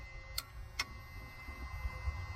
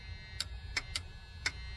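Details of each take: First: Long-sitting Freightliner FL70 truck with CAT engine, switched on: a few sharp clicks from starter solenoid with no cranking; suspected battery or connection/wiring fault, unconfirmed. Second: Freightliner FL70 truck with Cat engine, long-sitting, one battery hooked up: four crisp clicks about half a second apart as the battery switch engages normally.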